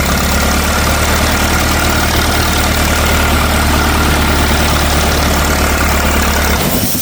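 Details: 1964 LeRoi 125G1 trailer air compressor, after pressure adjustment: steady engine drone with a low heavy hum that never unloads; so much air escapes that it keeps cycling.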